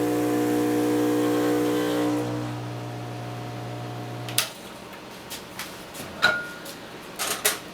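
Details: Vibiemme Electronic Super HX espresso machine during the detergent rinse cycle after backflushing: steady buzzing pump hum that eases to a lower, even drone for a few seconds, then stops; normal pump operation under pressure.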